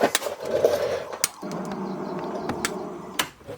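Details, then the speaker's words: Matsushita TM-202G CRT monitor in a Time Soldiers arcade cabinet at power-up: irregular sharp snaps and crackles over a faint buzz, high-voltage arcing with a bad smell, in the corner possibly near where a resistor was located. "Not good. Definitely something arcing there. Stinks too."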